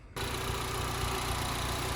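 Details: 2013 Honda Civic Si after cleaning the air intake and MAF sensor to fix code P0172: engine catches and settles straight into a smooth, steady hum with no misses or hunting; healthy, even idle.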